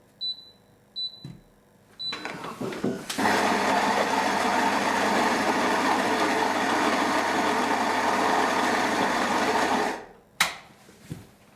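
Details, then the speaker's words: Philips 3300 super-automatic coffee machine grinding on the lowest bean-amount setting: beeps and clicks, then about seven seconds of steady high grinding whir stopping cleanly; grinder runs evenly, yielding only 6.1 grams. "All right, so the machine has gone ahead and ground according to time, and let's see, what did we get out of there?"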